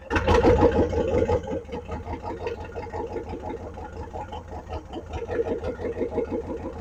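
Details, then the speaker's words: 1957 Ford Thunderbird off the road 50-60 years, first start: engine catches on the starter, then runs loose and uneven with a lumpy beat; massive fuel leak from a carburetor bowl/base plate, carburetor work needed, screws to be tightened first. "what we got our honor that's exciting I obviously have some carburetor work to do I'm going to try to tighten a couple screws first and see if that fixes the issue"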